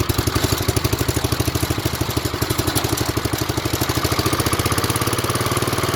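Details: 1970s Wheel Horse C121 8-speed garden tractor with Kohler engine, just started after fuel pump rewiring: even thumping idle about three beats a second with slight rhythm wobble; near-normal idle, not fully settled.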